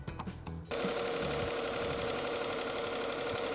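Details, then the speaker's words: Engine of a used project car with low oil and coolant from neglected fluids, recently done cam and accessory belts: steady light tick about four per second from the top end at idle, attributed to oil-starved cam lifters; oil clean, no smoke. "got this tick and this will be the cam lifters not getting enough oil at the top of the engine so hopefully there's not permanent damage because of poor lubrication"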